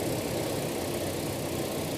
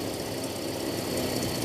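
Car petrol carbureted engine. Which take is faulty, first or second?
second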